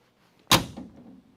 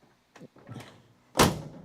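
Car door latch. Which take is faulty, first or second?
second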